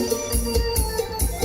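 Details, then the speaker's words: Harman Kardon Go Play Mini speaker that had lost treble on one side: after connecting a new tweeter the music has crisp, clear highs, showing the old tweeter was open, not the board. "นี่ครับโอเคครับเสียงแหลมมาแล้วนะครับ"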